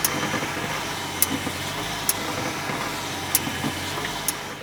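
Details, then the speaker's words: BMW E65 750 7 Series: sharp metallic clicks from the front suspension as the steering turns, also over bumps and when braking; caused by loose control arm ball joint nuts that needed tightening, not worn rubber. "usually the rubber is worn there and that's what the problem would be but this metallic clicking sound is actually caused from the nuts"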